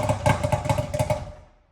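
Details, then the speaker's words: 2008 Ski-Doo Rev two-stroke twin snowmobile sold as blown up, started on choke with belt off, no starting fluid: quick even popping on both cylinders, smoothing out; normal running, not blown up. "as you guys just saw this thing fired up right away no starting fluid or anything um it seemed to smooth out pretty nicely"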